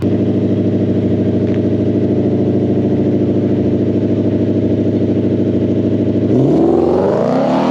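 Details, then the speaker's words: 2020 Ford Mustang GT (S550) with Hellion twin-turbo kit and fuel system, 6.5 psi, maiden drag pass (10.83 at 132.54 mph): engine drones at high revs, then pitch drops slowly and smears; the 1-2 upshift takes too long and the car lays down, with the 3-4 possibly slow too. "at least on the one two shift it sounds like it's taking a little bit too long uh to shift as in the car is kind of laying down a little bit"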